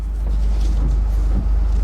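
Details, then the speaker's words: Honda Civic Hybrid over 10 years old, just started: a deep, even rumble with no knocks or ticks, idling smoothly. "All right. Cranked up, you can hear it running."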